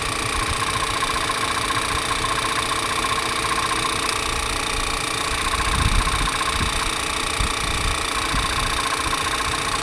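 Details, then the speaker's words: 2013 Toyota Avalon at auction, MAP sensor code stored: steady idle with light tick; note changes when the oil dipstick is pulled, no visible blow-by; crankcase pressure suspected; front timing cover oil-soaked. "That is strange. A lot of times you see a bunch of blow-by come out of there, but I don't see the blow-by. I just hear it changing its tone."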